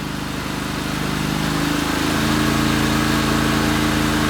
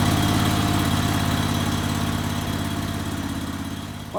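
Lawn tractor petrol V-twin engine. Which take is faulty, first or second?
second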